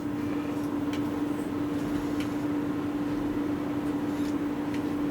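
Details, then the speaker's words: Newly installed cooling fan on KM 203 CB linear amplifier, switched on: smooth constant hum with no rattle, scrape or pitch wobble; fan runs normally. "we did a fan assembly there. You can see that right there. It comes on when I turn it on, which will be in a moment."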